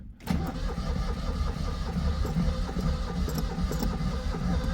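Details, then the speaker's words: Cold start on choke in neutral, recorded without external microphones. Lopsided, uneven cranking chug with some strokes heavier than others; uneven compression suspected, owner wonders about injector trouble. Uneven cranking. "Oh, that sounds like uneven compression, Eddie. What's going on there?"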